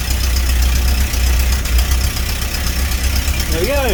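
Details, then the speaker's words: Birchwood 22 river cruiser boat engine after new plugs and distributor cap, cap refitted properly, warm: steady low idle with an even beat, no misfires or knocks; works well. An exhaust leak is suspected at one end. "it works well it's warm enough"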